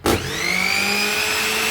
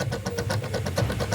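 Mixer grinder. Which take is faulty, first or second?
second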